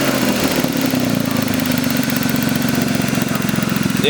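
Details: BMW E36 idle after changing a coil pack to fix a misfire: smooth even idle with steady beat, no stumbles or skipped pulses; engine running cleanly.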